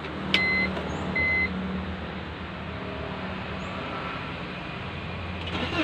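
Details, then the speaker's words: BMW E46/E36 at idle during used-car inspection, two chime beeps then a quiet even idle with no knocks or rattles; engine sounds fairly smooth. "Kalau suaranya kayak gini, ini bisa dibilang lumayan halus."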